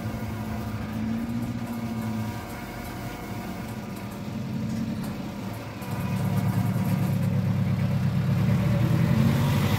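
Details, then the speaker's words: 1995 Plymouth Neon four-cylinder after Motor Medic crankcase flush, driving then idling: light fast ticking, quieter than before, seems down on one cylinder; valvetrain tick, rockers not pumping up suspected. "i mean it does still sound like it's a little down on one of the cylinders like maybe a little lower compression still ticky but not as loud as it was"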